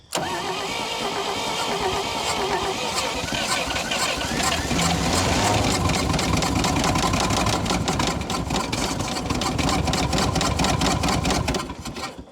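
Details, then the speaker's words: 1952 Dodge Power Wagon unrun for 16 years, first start: catches then a heavy knock ~4/s over rough running; owner suspects rod knock, oil pump working. "Oh yeah, that sounds like a quite the rod knock."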